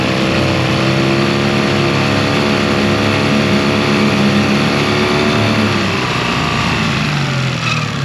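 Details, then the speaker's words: 2001 Yamaha 15hp four-stroke outboard, unused in a barn over 5 years, after full service, idle mixture screw set about 1.5 turns out: smooth, even idle whose note drops slightly and settles under load in gear. "You can also hear the engine change the tone when you stick it in gear, because now you're putting a natural load against it."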